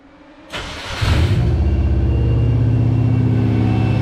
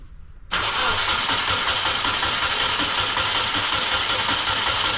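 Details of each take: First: 1995 Subaru Impreza L caged track car with EJ20 engine, newly wired harness, in neutral: short crank then it fires into a smooth, steady idle with even low beat and no ticking; healthy start. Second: Caged 1995 Subaru Impreza L track car, EJ20 engine, test-fitted wiring harness with fuel leak present: starter spins engine at a steady, even beat about six seconds but it never fires; crank-no-start.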